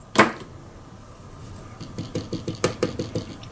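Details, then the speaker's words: Masco Audiosphere 6 tube amp, after replacing a noisy microphonic 6V6 output tube: light taps on the tubes give only brief dull clicks with little ringing through the speaker; sensitivity much lower, old tube was the culprit. "You see our sensitivity is much less. So this was the culprit."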